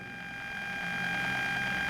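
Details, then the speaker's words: Bluetooth audio module and amplifier module sharing one 12 V supply: steady high whine near 800 Hz with fainter higher tones, audible even at minimum volume; power supply interference, to be cured with an isolated 5 V supply. "y a pesar de que estamos en el mínimo volumen como ven 0 0 puedo subir o bajar con el control que ya incluye este tipo de módulos igualmente se escucha esa interferencia"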